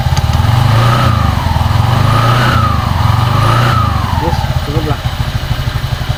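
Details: Honda Vario 125 scooter after replacing worn CVT secondary bearings: even low putter at idle with smooth drive hum, no knocking or grinding; CVT belt drive sounds healthy.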